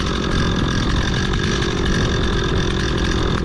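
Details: Stihl MS 260 Pro chainsaw, previously stalling at idle, freshly fueled, started with decompression: steady even two-stroke burble holding a clean stable idle.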